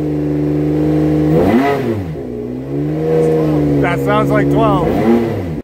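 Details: Ferrari 599XX EVO-HY V12 running on newly fitted twin MoTeC M1 ECUs replacing the OE Bosch units: runs smooth and even, pitch rising and falling cleanly with light revs, no stumble or miss; all cylinders firing.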